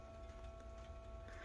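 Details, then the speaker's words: 2013 BMW X5 E70 N63 with a replaced turbo coolant pump, engine off after reaching operating temperature: a quiet steady buzz with fixed high tones. The pump is believed to run about 20 minutes to cool the turbos. Normal turbo coolant pump after-run. "and that's that pump doing its thing cooling down your turbos after the engine is off keeping the oil that's in the turbos from becoming a gel"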